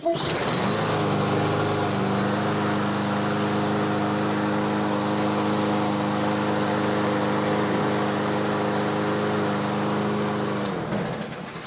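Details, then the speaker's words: Briggs & Stratton push mower with plastic carburetor, run on bench after cleaning junk from bottom of carburetor (plugged brass jet on pickup tube); settles into steady, even single-cylinder drone; normal running. "that is good enough for me quick video guys that's all it was a little bit of junk in the bottom of the carburetor"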